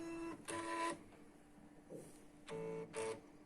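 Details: Canon MF3010 scanner scanning via computer gives error E301 while copy mode works: two short whirring carriage-motor bursts, a pause, then two more as the carriage tries and gives up; cause found to be poor contact in the scanner-to-control-board flex cable.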